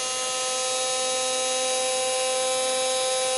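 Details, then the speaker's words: 1954 Singer Featherweight 221-1 motor after cleaning and brush service, run on 120 V through a rheostat: a steady, even high whir at one speed with no rattle or stutter. It runs smoothly and sounds healthy. "machine sounds like it's running really good i did clean off the brushes and put them back in and"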